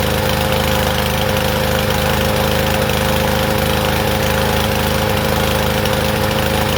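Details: Troy-Bilt TB110 push mower, about 10 years old: loud, uneven chugging with unsteady beat, rich and rough like on choke; caused by a dislodged carburetor part hitting the main jet.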